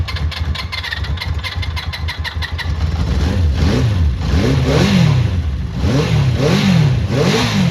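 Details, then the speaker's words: Honda CB400 Four after all tappets reset at compression stroke: starts and settles into a quiet, smooth idle with light blips, no top-end clicking; valve noise cured. "Oh yeah, well quiet. Yeah, smooth as anything. Bloody hell, I'm happy with that. Yeah, that's well smooth now."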